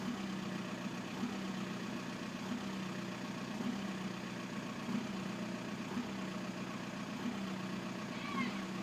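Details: 1999 VW Bora/Jetta 1.9 TDI AJM 85 kW diesel idling with a low steady drone and faint irregular knocks about every couple of seconds, a rough uneven idle; bad injectors suspected, not confirmed.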